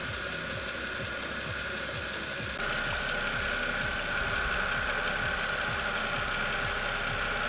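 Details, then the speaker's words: BMW E92 328i idling after power steering fluid change with Pentosin CHF 11S; the cold-start steering whine that faded with warm-up is almost gone, only a faint thin tone remains. "at this point the noise is almost completely gone and I'm checking around the vault for any leaks"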